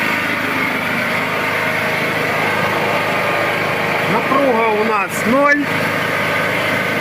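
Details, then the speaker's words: Small four-stroke petrol generator: ran rough as if misfiring with the choke closed, then after opening the choke it settles into a steady, even drone at normal speed with no hunting; running normally. "Ось я відкрив заслоночку і він почав працювати на своїх звичайних режимах"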